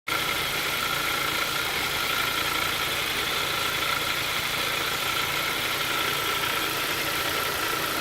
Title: Weird engine sound